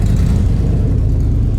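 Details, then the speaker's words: 2001 Toyota Land Cruiser 100 series, 4.7L petrol V8, off the road since 2016, first start with the catalytic converter cut off: lumpy, uneven idle that does not settle. It is running rough, possibly misfiring, with heavy smoke. "it's running but it's running rough you can hear that so Smoky I had to turn turn it off"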